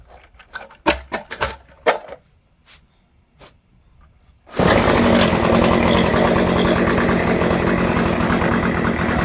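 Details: Troy-Bilt two-stroke string trimmer, found discarded, after repair with oiled air filter refitted and shaft removed: a few handling clicks, then it catches and holds a steady, even buzz with no stumbling; engine running properly, transmission side still unrepaired.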